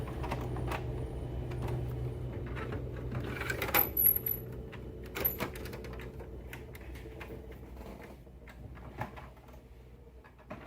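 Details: HP Smart Tank 617/517 printer copying: quiet carriage travel with soft whirs and light clicks, no grinding or knocking; normal operation.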